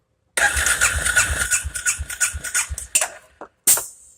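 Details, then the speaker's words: John Deere 500 ATV that won't start, compression test cranking with throttle wide open: about 90 psi versus 120-140 good, oil on plug; quick uneven cranking pulses about three a second without catching; low compression. "good compression on this thing is about 120 to 140 obviously we have a problem"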